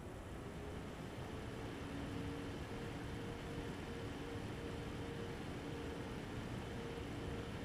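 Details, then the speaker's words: Eight-year-old MSI Radeon HD 7970 Twin Frozr III after replacing its dead and failing 75mm fans with PLD08010S12HH units, recorded by shotgun and omnidirectional mics: both fans spin up uniformly with a steady, even whirr, no rattles. "now for me sitting two feet in front of it that was a very uniform start for both of the"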